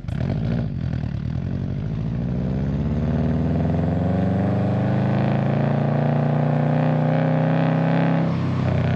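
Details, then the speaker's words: 2008 Subaru Legacy GT turbo four with a GFB Respons blow-off valve just installed: revs up and holds, then quick crackle from the tailpipe as throttle shuts; loud exhaust pops on deceleration. "Okay, so I don't know if you guys heard that, but there were some really, really, really loud pops. I mean, at least to me, they're super loud."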